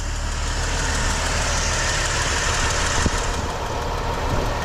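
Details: 1981 Ford work truck, rebuilt inline six with a two-barrel carb, after new PCV valve and charcoal evap canister for fumes and hot-start issues: a steady, even warm idle with a smooth low rumble, no knocks or misses, running healthy.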